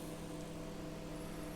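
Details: BGH microwave after replacing the faulty high-voltage diode that caused transformer noise and no heating: steady, even low hum with constant mains-pitch drone, no buzzing or crackle; normal operation.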